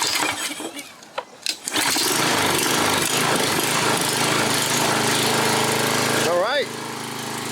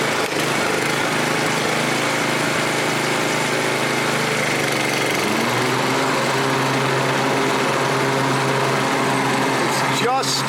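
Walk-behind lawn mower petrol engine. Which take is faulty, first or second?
second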